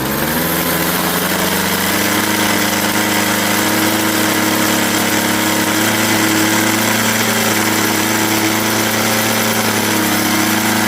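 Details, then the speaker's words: Craftsman 21cc Bushwacker two-stroke hedge trimmer, sitting nearly a year, started then put on half choke; settles into a steady even buzzing idle, no surging or stumbling, low and high speed fine. "And there you go. And I'll just let it idle for a minute here."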